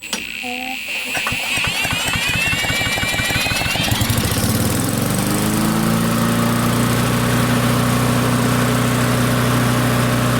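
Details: Barn-find Murray push mower with Briggs & Stratton engine, air filter off, during carburetor adjustment aiming near 3400 RPM: pulls, fires, revs up within four seconds, holds steady even high speed with no misses; normal running.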